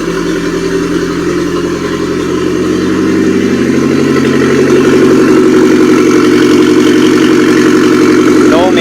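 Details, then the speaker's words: Mitsubishi Airtrek Turbo R replacement turbo petrol four, 85,000 km, from a half-cut. Steady, even idle that picks up smoothly when blipped, no misses or knocks, good compression, no smoke. Normal idle. "vibrations nice compression no smoke coming out let's rev it a little bit upm goes up and okay engine sounds good everything spinning well vibration is good"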